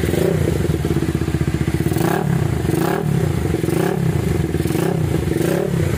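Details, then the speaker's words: Minerva R150 Xrod single revved with quick throttle blips, steady even exhaust note and no top-end rattle after new piston (seher) fixed earlier rough noise and white smoke; now runs healthy. "Suaranya adem. Oke, mantep ya. Suara video awalnya, video pertamanya yang 41-nya berisik banget ya."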